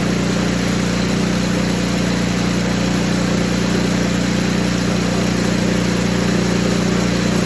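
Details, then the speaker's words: Poulan Pro 961980056 snowblower after cleaning a dirty carburetor: the small engine runs at a steady, even idle with no misses or surging. Some bad gas may still remain at the bottom of the tank. "so it did get running it's running right now you can probably hear it outside I'm gonna let it run for 15-20 minutes"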